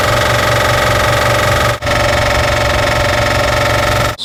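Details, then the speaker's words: Air compressor after rewiring from 110 V to its proper 220 V supply (two hots and ground): steady, strong motor hum with an even, fast pump chug, no labouring or stalling; running normally after the fix. "Working good."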